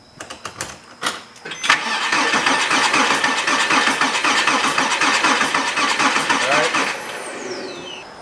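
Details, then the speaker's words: Porsche 987 Cayman S with a suspected spun rod bearing (metal shavings in the oil filter), cranking on the cylinder five compression test. This cylinder's plug was fuel-wet. Even cranking strokes, reading 205 psi against 210 on its neighbours: only 5 psi down, negligible. "the number five cylinder is the one that had the spark plug that was really wet with fuel it was down five psi on compression so that's negligible nothing serious"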